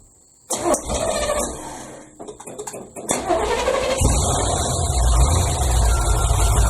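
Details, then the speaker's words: 1981 Chevy Malibu Classic with 355 small-block, Edelbrock intake and 600 carb, first start after sitting 3+ years; catches, stumbles and nearly dies, then runs raggedly; bad gas in the tank. "yeah it had some bad gas in the tank I thought I ran it out"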